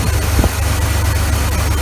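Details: 1980 Chevrolet C-10 Scottsdale, 4.1L 205 cid inline-six, after oil pan gasket, water pump, thermostat and fan clutch replacement: steady even low idle rumble, no knocks, rubbing or squeal; smooth and healthy.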